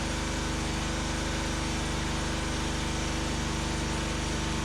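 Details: Homemade firewood processor's small engine driving the hydraulics during the hydraulic test, splitter cycling about 7 seconds in and out: steady, even drone with a constant beat, no knocks or misses; normal running under hydraulic load.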